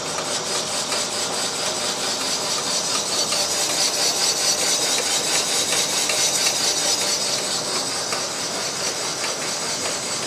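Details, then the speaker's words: Boring bar cutting a broken N14 Mini Cooper S engine block for 0.50 mm oversized pistons: steady high metallic hiss with a faint tick about twice a second, cutting smoothly; sound stops once through the bore. "you make sure it goes through the bore, you'll hear it stop cutting. As soon as it does, you set the stop"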